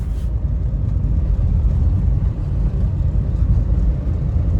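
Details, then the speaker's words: 2011 Mahindra Verito driving after front shock replacement with a used spring: even low road rumble, no knocks, clunks or rattles; suspension now fully normal, earlier rough-road noise gone. "ഇപ്പോൾ സസ്പെൻഷൻ്റെ ഭാഗത്ത് sound പക്ക നോർമലാണ്. വേറെ extra കടപടം സൗണ്ടോ കാര്യങ്ങളോ ഒന്നുമില്ല. പക്ക okay തന്നെയാണ്."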